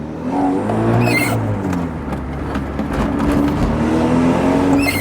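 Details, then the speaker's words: MG F back after 8 months, revving: uneven puffing, raspy edge over the exhaust note that rises with revs. Exhaust blowing somewhere. "As you can hear, the exhaust is blowing as well."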